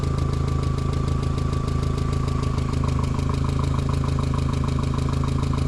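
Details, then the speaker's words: 2001 VW Jetta project car, idling and given gas: crisp even ticking about three per second over idle rumble; still tapping, owners suspect the valves, not the lower block, may adjust valves. "it's still [ __ ] tapping pretty good ain't it huh it's still tapping give it gas"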